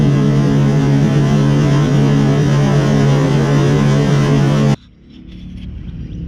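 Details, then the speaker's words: Toro Turfmaster mower with blades engaged, cover off: loose rhythmic knocking from the deck caused by a stretched deck drive belt with too much play slapping; blades fine, belt to be replaced. "as you can tell it's this belt there's just too much play"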